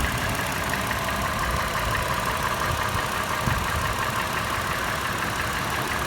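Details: Toyota FJ after warm start, idling: sharp metallic tapping about two per second over rough idle, faster in park and neutral, slower under load in drive; initial clatter turned slower, louder, sharper as it warmed; also rattles decelerating below 1800 rpm. Cause unknown.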